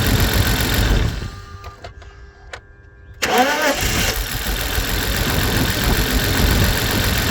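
Starter cranks, the six catches and settles into an uneven, stumbling cold idle with an irregular beat: a misfire on cold start.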